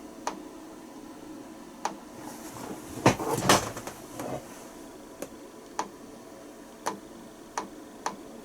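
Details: Icom IC-R8500 receiver under repair, intermittently losing reception and poorly sensitive: sharp, isolated clicks come irregularly every half second to second, with some handling noise. Ticking of unknown cause.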